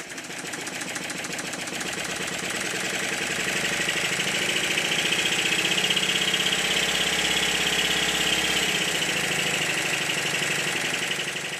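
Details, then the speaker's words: Stuart Triple model steam engine after adjusting the high-pressure cylinder eccentric sheaves and valve timing: steady, even chuffing at about four beats a second, swelling and easing smoothly with no knocking; smooth running. "in this clip I set the eccentric sheaves to the timing to the engine and I soon changed my mind listen to it in the next clip no knocking"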